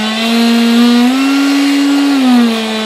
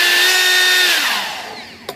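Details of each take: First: Durafly DH 100 Vampire MK 6 electric ducted fan on a fully charged 4S 3300 battery, run up from throttle cut: steady mid-pitched whine swelling at low throttle, resonant around 19% throttle; fan rotor badly out of balance, causing vibration. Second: Durafly DH 100 Vampire Mk 6 EDF fan after balancing, having been badly out of balance and rattling: clean, even high whine with no wobble or buzz, dropping smoothly in pitch as throttle is cut; balanced fan runs smoothly.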